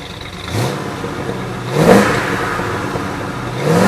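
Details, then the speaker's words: 1966 Ford F100 short-bed shop truck, V8 with camera set down nearby, given three quick throttle blips. Revs climb cleanly and drop back to a smooth idle with no knocks. Healthy engine revving. "We looked at the outside, we looked at the interior, you got to hear the engine. I revved it up a little bit for you guys."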